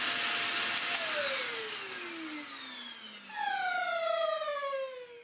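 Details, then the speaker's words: Dyson DC50 small ball vacuum after fitting a new motor: high whistle with a falling squeal as the motor spins down, then again on restart; the filter's rubber seal isn't sealing properly and squeaks. "Bar the filter still being a little bit squeaky. Oh dear."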